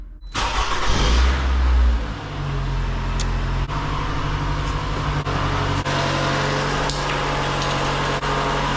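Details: Toyota/Lexus after replacing a blown 120 amp fuse that caused a no-crank no-start: brief crank, then catches straight away and settles into a steady, even idle with no misses; clean, healthy start.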